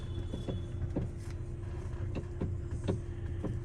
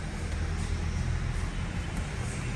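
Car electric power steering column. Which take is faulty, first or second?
first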